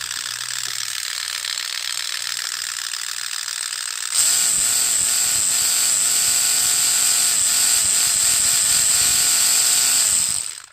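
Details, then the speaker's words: Kyosho Sand Master 2.0 RC car on bench, 3300kv brushless: sharp high whine as motor spins up with faint tick about four times a second; suspected mis-extruded spur gear with flashing, gearbox otherwise found fine. "so I believe the noise might be coming from the spur gear I kind of noticed that it was mis extruded"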